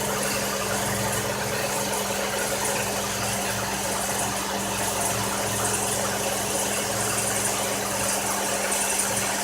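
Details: Buick idling roughly with a bad misfire, an uneven stumbling beat under steady hum and hiss; needs new intake gaskets, coolant has mixed with the oil.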